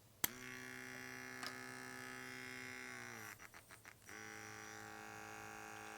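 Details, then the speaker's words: KAATSU C4 system whose compressor cannot reach pressure because an air hose has a hole near its base. A thin electric whine runs on steadily and never shuts off; the compressor keeps running continuously because of the hose leak. "You can hear that it is still running. So, there's a hole in this air hose near the base and then this one's working."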